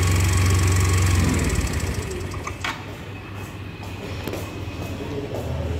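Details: Yamaha Mio Z 125 scooter engine with rough engine noise: a coarse, rattly low chatter at about four pulses a second, cause unclear.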